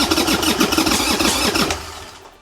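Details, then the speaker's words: 1990 Harley-Davidson Sportster 1200 after 10 years in storage, with new lithium battery, new plugs and old gas drained. The starter churns in uneven pulses and winds down; cranks but won't start. "starts all right let's give it a little help with some starter fluid round two oh so close"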